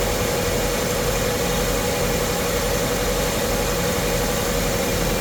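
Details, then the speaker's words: Chevrolet S10 with swapped 3.4 engine, warm day, MAP sensor moved to EGR port and EGR unplugged for testing: steady smooth low idle hum, no misses or knocks; engine runs cleanly. "Whole thing turns like a kitten."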